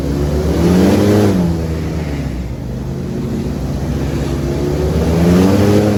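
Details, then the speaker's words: LS3 V8 airboat on water test after repair: deep, even roar rising and falling with throttle under load coming out of the hole, where it used to act up; no misses or pops, now running healthy. "Get a load on her coming out of the hole. That's when it would really act up before. Oh yeah, she back."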